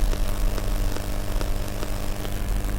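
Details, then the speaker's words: Arduino Nano audio delay circuit, output through a 47 µF capacitor and 100 Ω resistor into a Bluetooth speaker input: a steady hum with sharp clicks about every third of a second. "okay if you hear that there's some clicking going on"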